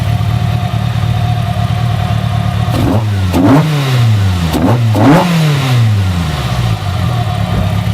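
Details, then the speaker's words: Ford Fusion ST with swapped 2.0L Fiesta ST engine, individual throttle bodies just fitted, base ECU map, before custom remap; crisp blips from steady idle, smooth even pulses, no misses or knocks, normal revving. "And our individual throttle bodies are fitted as well. So that is a big win. In fact, I'll rev it so you can hear it."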